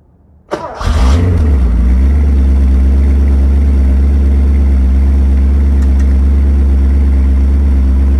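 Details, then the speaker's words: 1981 Porsche 928 5-speed, 25,000 km, cold start at about 2–3 °C after sitting outside overnight: brief crank, catches cleanly, settles into smooth, even, deep idle with no misses or knocks while warming; behaves beautifully. "you can listen for listen to the sound listen to the sound uh of the engine and uh warming up it it behaves beautifully"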